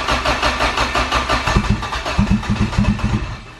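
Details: Acura B18 GSR with sleeved engine, start attempt after filter changes, on a jump box with a little gas: the starter spins the engine in an even chugging rhythm for a few seconds, but it never fires; cranks, no start.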